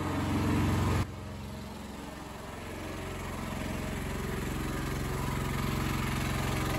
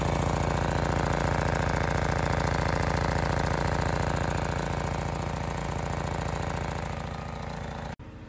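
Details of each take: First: Honda EX1000 suitcase generator, choke believed now off, load test: engine note drops sharply as load comes on, then holds low and strained; owner says it's definitely labouring, unit getting warm. Engine labouring under heavy load. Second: Honda EX1000 suitcase portable generator, cheaply bought and said not to work, running outdoors unloaded before an 800 W oil heater load test, choke off, correct air filter missing: steady even drumming at constant speed, no misses or rattles.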